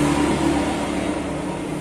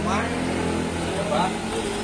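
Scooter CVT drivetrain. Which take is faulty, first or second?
first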